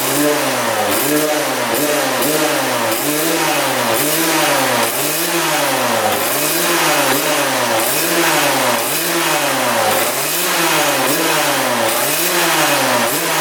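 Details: 1999 Suzuki RM80 two-stroke after repositioning the coil boot, before the plug change: revs surge and sag about every second, hunting. Erratic running that stalls, later improved by a new spark plug.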